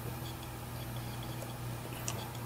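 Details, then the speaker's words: Western Digital hard drive that was thrown from a 2nd-story balcony, powered on during head-match data recovery: quiet motor hum with light, irregular ticks as the heads calibrate, no harsh clicking; it detects serial number and capacity. "I hear it trying to calibrate okay while it's ready that's what the the green lights there indicate"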